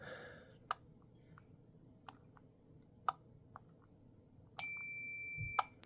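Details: Arduino-built wind regulation controller for a pendulum master clock in night mode, slave clocks shut off: isolated sharp single relay clicks about once a second, no beeps; switching normally.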